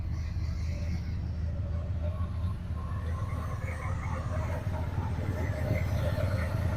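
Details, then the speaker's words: Old Ford F150 pickup after retiming and fitting a gear-reduction starter, previously wouldn't restart once warm: cold start, low steady rumble idling evenly with slight lope, no knocking or grinding, windy outdoor mic; normal cold idle. "there she is she'll clean up she's cold just started it anyways"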